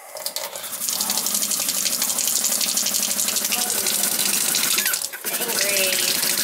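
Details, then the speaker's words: Kitchen faucet making vibration noise when turned on, water spraying everywhere from the pull-out sprayer: harsh loud hiss with rough fluttering rattle as water runs; sprayer suspected as the cause. "Maybe it's this. The spray thing? Yeah, because this thing's spraying all over, you said, right?"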